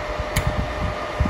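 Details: Daiden MiGi 130 PWM welder after repair of PWM fault and blown IGBT, powered via test bulb with soft start: steady soft cooling-fan whir over low even hum; fan running normally.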